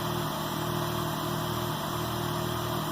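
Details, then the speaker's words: K24-swapped Honda Insight on Speeduino, sequential ignition, after valve adjustment: smooth, even idle with steady low thrum, no ticking or knocking; previous tick gone, normal idle. "She runs red. So there we go. We got her running again. Seems like everything's okay. Sounds good."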